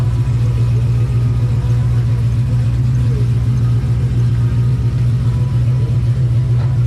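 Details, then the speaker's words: 2005 Pontiac GTO back from the track, V8 running with a light rev blip: deep steady rumble, even firing, no knocks or ticks; motor healthy, but the car slips and revs out above 4–5 mph from a rear differential fault. "Yep. Motor sounds good. It still moves under its own power right now, but just barely."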